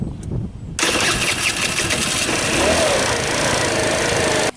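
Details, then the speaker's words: Tao Tao Thunder 50cc scooter at about 5488 km: starter whir catches into a raspy, uneven run that cuts out; it shut off, failed to electric-start and needed about 15 kicks. Hard starting and stalling; owner unsure of cause and plans to swap in the stock CDI and clean the carb. "It shut off and then wouldn't start again. And it just started on the second try, like when I came out."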